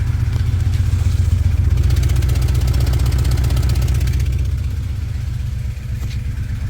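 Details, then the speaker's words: 1999 Acura Integra LS with a B18 engine, warm, with a bent valve at idle: a sharp rhythmic puffing tick of about four per second from an exhaust leak. The owner suspects the plugged original catalytic converter pushed out the gasket. "it has an exhaust leak which i think is because of the catalytic converter being plugged so it pushed out the gasket"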